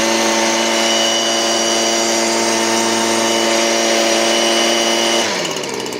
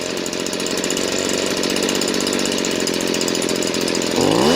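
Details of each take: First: Stihl BG56C leaf blower, 27cc 0.9hp two-stroke, warmed up, serviced, carburetor set correctly: a steady, high, even buzz holds clean at wide open throttle with no bog or stutter, then eases down smoothly; healthy. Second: Stihl BG56C leaf blower, 27cc 0.9hp two-stroke, warmed up. With the low-speed mixture screw turned all the way left, the idle is boggy, dull and dropped, not crisp. About half a turn brings it back to running right. Lean low-speed mixture.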